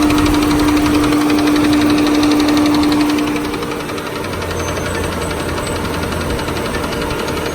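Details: Ford Freestar 4.2 V6, 220k miles, smooth idle with loud even tapping about four per second; started after new transmission install, no warning lights; rod knock doubted, cause unknown.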